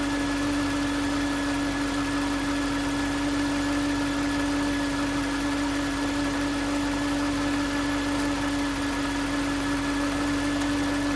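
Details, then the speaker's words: 2009 Range Rover Supercharged 4.2: steady clear one-pitch whine over quiet engine hum; listening on alternator housing confirmed the alternator as source, no engine codes; alternator replaced. "It was obvious that that's where the whine was coming from. And so, it's a pretty simple process."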